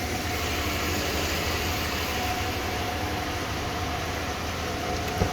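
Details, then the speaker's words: 1994 Ford F-150 XLT 302 V8, 57,500 original miles, restart: steady, even idle with a constant low hum and a faint whistle, no stumbles; a light exhaust leak is present, quieter when warm. "shut her down here for those of you like a restart truck fires right back up it does hold a really good idle"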